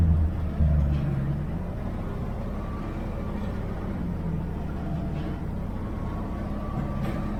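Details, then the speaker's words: 1969 Chevy van, off the road 35 years and unstarted for a week, just after a cold start: a deep, steady rumble held at a raised idle with body vibration, a normal fast idle. "Stays on high idle for a while."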